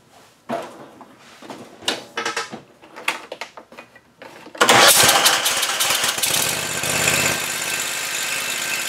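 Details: Tractor after PTO drive belt replacement, PTO clutch engaged: several slow cranking bursts, then engine catches and settles into a steady, even run with blades engaged; sounds healthy, normal running.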